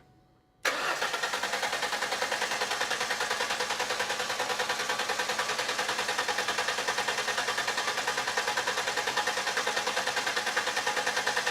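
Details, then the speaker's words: Starter load test: even, strong cranking at about three beats per second with no dragging or clicking, drawing an average of 146 A and a maximum of 150 A, judged good. "all right so it had it crank it through a whole cycle it actually took the amps and it read the amps"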